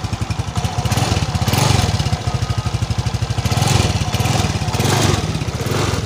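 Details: NEX F1 injected scooter with weak ignition and hard starting, after fitting a new battery: steady, even quick putter with gentle swells and no misses; runs cleanly.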